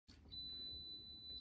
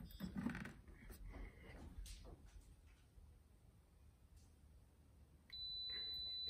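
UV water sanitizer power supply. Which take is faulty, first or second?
first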